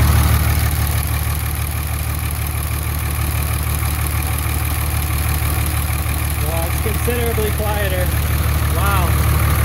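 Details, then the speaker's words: 24v Cummins diesel, about 330,000 km, cold start with valve cover off right after valve lash adjustment (nearly every valve adjusted) to cure a tick: deep, even idle, smooth beat, no clatter or ticking; much quieter, normal. "I can already notice that sounds great actually I don't know if you can hear me over my loud comings or not but she sure is way more quiet with that valve lash adjustment"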